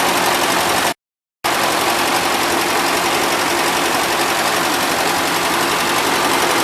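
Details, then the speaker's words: 1977 Gravely GMT 900 running on old gas with a little smoke; even, steady running with no misses or knocks; no oil or antifreeze leaking; owner thinks fresh fuel and a carb clean will make it a good runner; normal running. "so I think with good fresh fuel and a good perk clean this thing will be a really good runner"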